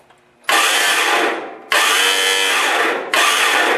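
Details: Lawn tractor with Briggs & Stratton engine: three bursts of free high whirring without cranking, starter spins but its gear doesn't engage the flywheel; starter gear repair needed.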